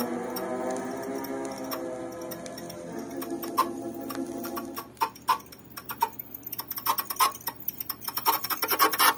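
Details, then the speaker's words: Columbia GP-17 record player with odd noise: sharp ticks about twice a second over a playing record, from a failing motor; after repair the noise was gone. "モーターがダメですね"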